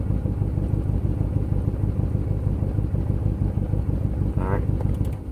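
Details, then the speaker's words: 2005 C6 Corvette V8 with new plugs, coils and wires, during a fuel pressure test at about 50 psi: low, lumpy idle that surges and stumbles, bouncing with throttle, later found to be a broken valve spring. "so I'm gonna try it with the engine on again to hold idle it's jumping all over the place once I gave it a little gas still bouncing and jumping accelerating again holding idle but it's jumping everywhere"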